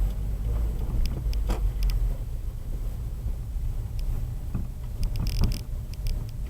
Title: clunk sound boosted 1